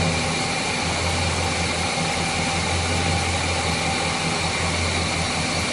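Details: Chevrolet 350 V8 after repair of a failed valley-side intake manifold gasket, which had caused oil consumption, rough idle, hesitation and misfires. Verification test at idle gives a smooth, even drone with no misses or hiss, and previously misfiring cylinders are now healthy.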